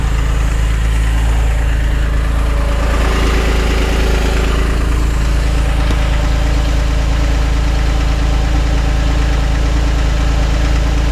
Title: 2006 Porsche 911, 997.1 Knocking Sound